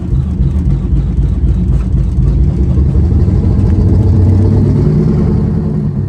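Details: 1985 Peterbilt cabover, 8V92 Detroit two-stroke diesel, just started after new Delco Remy 39MT 12 V gear-reduction starter fitted: deep, steady cold idle rumble, no knocks or misses. Healthy.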